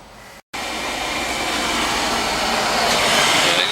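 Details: Carlin oil burner on a Bock 40-gallon oil-fired water heater, after basement flooding and a new burner motor: lights after a short pause and settles into a steady, even blower roar that slowly builds.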